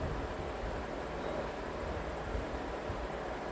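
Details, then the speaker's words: Vintage Emerson box fan after cleaning and motor oiling, intake mode: steady even airy rush with no knocks, rattles or wobble; very smooth, normal running. "fix that. Yeah, very smooth fan here. Very somber on low."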